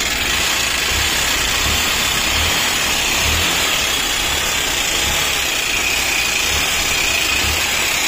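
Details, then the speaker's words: Hero CBZ Xtreme run without oil, about 15 days, then failed; loud harsh hissing rattle over an uneven thumping, labouring idle, piston about 90% seized, piston and valve to be replaced. "तो इधर तो इसका sound सुनिए दोस्तों इसका sound बहुत ही खराब है कट कट कर बैठे"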